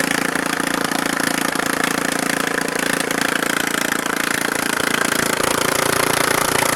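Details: Neglected Briggs and Stratton 13.5hp Intek single-cylinder after repair (used carburetor fitted, valves adjusted, shrouds and wiring reinstalled): steady, fast even firing with no surging or misses; runs healthy.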